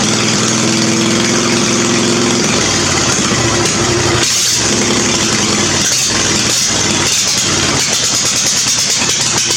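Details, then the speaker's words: Murray riding mower small single-cylinder engine cranks and catches on gas dripped into the old dirty carburetor, seat safety switch removed; busy, slightly uneven rasp that smooths out. Sounds pretty good; normal starting and running. "So that sounded pretty good for an old dirty carburetor, and I just remembered I got to modify this pulley."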